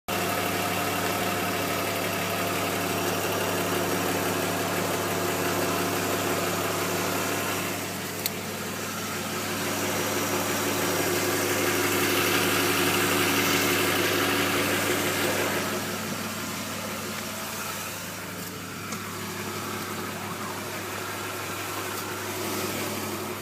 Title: E36 M50B20TU engine knock/rattle 3